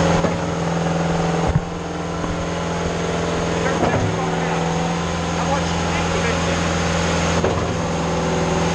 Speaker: When you're at 50 bar, it does seem like it idles down. You hear it, right? On all machines, actually, that happens when they start catching on with the pump, boom, and then the governor takes over